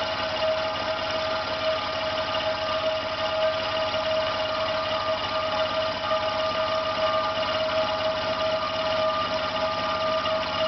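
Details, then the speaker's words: Air compressor running with the air outlet closed: after about three minutes pressure stops rising, and one side runs much hotter. The motor drones with a rough buzz, slows, vibrates and cuts out by itself; it is labouring and failing. "It starts vibrating. You may see it's moving, not running round anymore. You may hear that it's not turning normally around."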